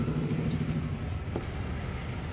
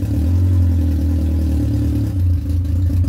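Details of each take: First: Yamaha R1 motorcycle engine running: heavy low rumble with a dull knock from a damaged crankshaft. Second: Yamaha R1 after engine knocking repair: even, deep engine drone with smooth rev blips and no knocking or clatter; the noise is gone and the engine runs normally.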